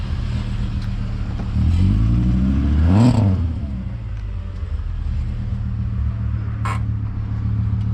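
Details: "Savoy" after repairs so nothing melts again: smooth even engine note with a brief rev swelling and falling back, no knocks or ticks; runs perfectly, sounds like an R32.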